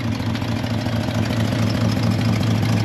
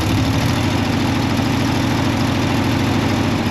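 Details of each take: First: C30 V8 warming up on partial choke with water running through the block: deep, steady idle with even burble, no misses or knocks, while dirty water flushes out; finding: normal idle. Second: C30 truck engine just fired up, with an existing exhaust manifold leak: a low, lumpy idle with a steady puffing tick running through it. Exhaust leak.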